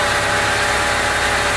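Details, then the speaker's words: Honda Civic EG project with swapped engine, test-run once finished to check for odd noises: short burst of steady, even idle, smoother and denser note, no knocks or misses; runs normally, though still slightly off and to be cleaned. "mantap mesin pun sudah selesai dan sudah bisa hidup dengan normal"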